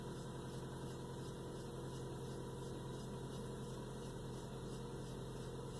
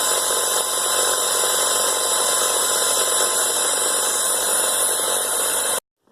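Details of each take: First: 1996 Toyota Camry at idle: faint high chirp repeating roughly three times a second over the engine from the serpentine belt, badly worn with rib separation; noise gone after replacing the belt. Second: 1996 Toyota Camry just after replacing a badly rib-separated serpentine belt: a steady, even idle with a constant hum and no squeal or chirp. The belt drive is running clean.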